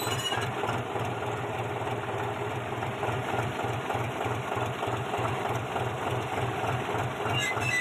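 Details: Old-model John Deere 5103 tractor with a clutch problem: even, low diesel chug at idle, about three beats a second, with no scraping or squeal from the clutch. Normal running, quiet clutch.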